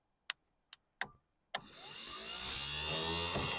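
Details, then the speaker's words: 1991 Vauxhall Astra van that sat about 10 years in a field: four sharp clicks, then the starter motor whirs up freely to a rising hum, but the solenoid won't throw the drive; later bench-beaten and cleaned. "the motor rebate works but when you attempt to throwing the solenoid foreign"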